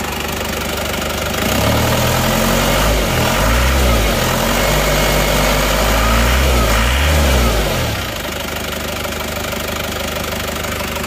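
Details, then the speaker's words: Isuzu Panther L 1740 diesel after replacing worn pistons and rings (rough noise was pistons, not the injection pump): even idle clatter with smooth throttle blips, no knocks; slight morning shake smooths once warm. Normal diesel idle. "kalau kalau pagi itu agak goyang dikit enggak masalah abaikan saja yang penting setelah mesin agak panas dikit dia sudah rata ya"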